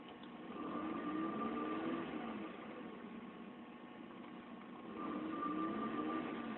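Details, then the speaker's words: 1993 Mazda Miata, 141,705 miles, after Walbro fuel pump install replacing Denso; smooth even idle with steady low hum, Walbro pump noise audible near the rear, carpet not yet refitted; sounds healthy. "you can still hear that walbro noise there probably here wanna go back here"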